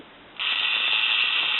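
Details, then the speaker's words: Contax II-A camera with Zeiss Opton Sonnar 50mm lens, self-timer released: fast steady high buzz runs evenly to end with no stalls; delay timer working normally. "As you can see, you can hear and see. No problems there."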